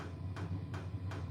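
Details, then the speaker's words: Portable diesel air heater (toolbox-style case), running on diesel indoors with exhaust piped outside: steady low hum with soft regular thumping ticks about three per second from the fuel pump; normal running. "listen hear that that thumping noise is the fuel pump okay no it don't run by gas that's the best part about it it runs by diesel listen to that"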